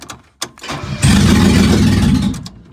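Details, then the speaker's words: 1975 Mercedes 280SL (D-Jetronic) restoration start attempt after hooking up fuel damper, no exhaust pipe fitted: loud raw burst as the engine fires about a second and a half then dies; briefly catching. "Whoa. Well, that engine certainly tried to start then. Now obviously there's no exhaust pipe connected, so that will sound extremely loud."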